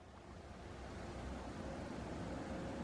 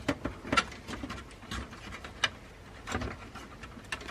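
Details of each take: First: Case fan on a newly built desktop PC, run at full speed via fan controller: an even airy rush swelling as it's turned up, smooth with no ticking or rattle; normal fan at full blast. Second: New desktop PC build at first power-up: light uneven ticking and scraping every fraction of a second as a case fan blade hits something; owner suspects he disturbed the fan while cleaning.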